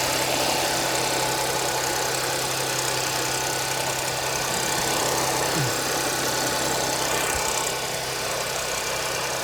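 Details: 2010 Audi A6 4F/C6 3.0 TFSI, 110,000 km, cold start idle with a busy mixed rattle over the engine hum; timing chain suspected, not confirmed.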